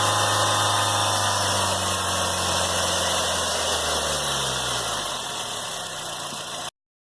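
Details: 2007 Honda Fit running engine with a steady whirring whine from a bad accessory-belt idler pulley bearing. Confirm it by loosening the belt and hand-spinning the alternator, AC compressor and idler.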